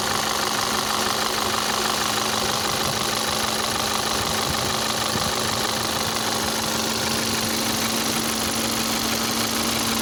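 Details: 2012 VW Passat CC 2.0 TSI (EA888 gen 1, CCT), 189,000 km, cold start after oil top-up: sharp tapping about three per second over idle, unchanged in pitch and rate; piston knock, teardown for rebuild.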